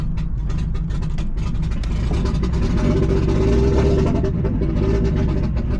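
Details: Nissan G35 with 1JZ swap on ECUMaster EMU Black, 900cc injectors, car long sitting; loud lumpy low rumble with uneven stumbling beat, misfiring and rough; owner suspects very old, bad-smelling fuel, cause unconfirmed.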